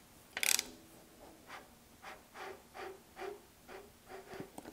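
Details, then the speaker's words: 383 engine long block, turned over by hand after assembly with freshly honed cylinders: slow, even, rough scraping swish each stroke from rough crosshatch; normal ring drag intended to seat piston rings. "it's kind of a rough sound actually and that's on purpose the crosshatch the surface finish on the cylinder walls is pretty rough at the moment and it's done that way on purpose in order to make the piston rings actually seat to the to the cylinder walls"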